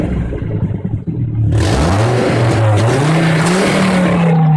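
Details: Volvo V70 T5 with an exhaust leak that was welded a year ago and has reopened badly: loud raspy blowing and popping swelling with each rev over a throaty engine note.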